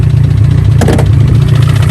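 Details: Car with a fender-mounted intake, run after driving in heavy rain. Loud, rough low idle with a heavy, regular pulsing thud on each beat. Owner suspects a bent rod, unconfirmed, with the oil pan to be pulled.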